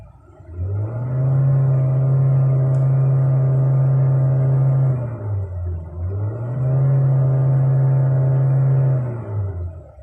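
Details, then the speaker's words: GAC Motor GN6, full-throttle revs: two blips climb then hang flat at a ceiling, engine will not pass 4000 rpm toward 4500-5000, tach needle unsteady; second issue with the unit, car returning to company for a fix. "Hindi talaga siya aabot ng 4.5 or 5,000 RPM per minute. So ito yung issue."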